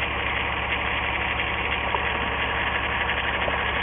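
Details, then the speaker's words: 1997 VW Eurovan, 2.6L VR6 AES engine, waste-spark ignition, multiple codes: uneven, lumpy idle with a cylinder dropping out; pulling cylinder 6 plug wire changes nothing and shows no spark, so the paired coil has likely failed. "once again i have it out no change in the effect of the engine running and no no no tapping noise where the spark's jumping and no visual sign of spark jumping so since that's a paired circuit since that in the weight spark system that's a paired circuit we can be pretty confident that the coil has failed"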